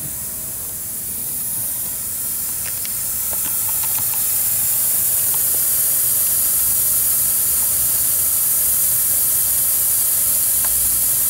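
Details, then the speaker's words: Chevy Cruze cooling system under an air-powered pressure tester: loud constant hiss of escaping air, unchanging; large leak from a split coolant hose. "I can keep building some pressure here applying more air if I want since this one this one's a large leak I'll show it to you"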